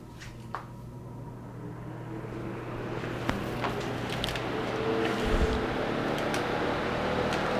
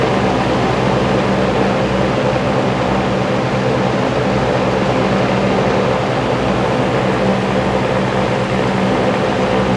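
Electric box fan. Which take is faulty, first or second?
second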